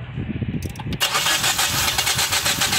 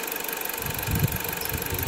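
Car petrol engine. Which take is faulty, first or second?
first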